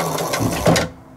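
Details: Razor E300 scooter converted to 48V battery with the 1000W 48V controller, first test after power-on: short whirring hub-motor spin-up with quick pulses, cutting off cleanly; motor spins normally.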